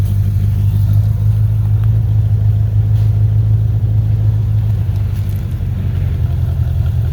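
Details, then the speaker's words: 1985 Corvette C4 V8, cold, idling: deep, loud, steady rumble with no sharp knocks; cat-back exhaust is shot; owner also notes a throttle dead spot, possibly cold or TPS. "the exhaust is shot on it from the cat-back"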